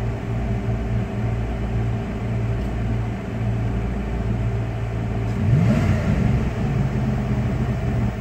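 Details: 1996 Dodge Ram 5.2 V8 after cleaning a very dirty throttle body and fitting a new IAC valve, hot day: deep, even rumble at a steady idle with one short blip that settles straight back without stalling. Normal idle.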